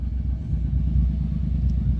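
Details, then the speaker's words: Mitsubishi Mirage G4 sedan running again after a crank-no-start traced to a locked throttle body, with RPM reading normal on the monitor. Low, steady, even rumble with no misses, knocks or surging: normal idle. "So RPM normal RPM M [Musika] sa ayaw mo sir? Ayos sir ah so ayun guys umandar na"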